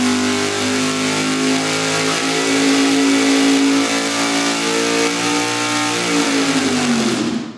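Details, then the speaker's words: Engine on dyno at wide-open throttle with a cheap mechanical fuel pump rated 40 gallons per hour at 7.5–9 psi; steady climbing engine note under load while fuel pressure dips immediately, recovers, then drops again, pump only marginally keeping up. "looked like it it dipped immediately and at one point it came up and then dropped again almost as if it had filled the bowl and then the bowl dropped again"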